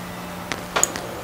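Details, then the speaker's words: Refrigerator freezer defrost thermostat tested with a meter: closed below 32 degrees, then as it warms a few sharp clicks sound and resistance jumps to almost 1 megohm as it opens, in a quiet room; normal defrost thermostat click. "See, I just heard it click, and then look at the display. See, now it's up at almost 1 mega ohm. So there it was clicking off."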